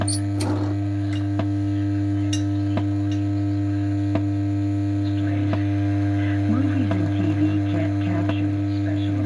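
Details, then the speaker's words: Pilot radio: deep, steady mains hum at a constant pitch that never fades; owner suspects an open-circuit reservoir capacitor, unconfirmed. "now it sounds like the reservoir cap is open circuit but i can hear rta in long life"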